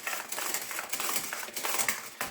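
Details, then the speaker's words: Stihl MS230 chainsaw with Ergostart recoil starter: dry, crunchy ratcheting and rasping through each pull with no energy stored or released, so the saw never starts; broken recoil starter spring. "But this is actually the Stihl Ergostart. And what happens is, when you pull it, you can even just pull it small amounts. There's a recoil spring in here and a clutch, and it stores the energy."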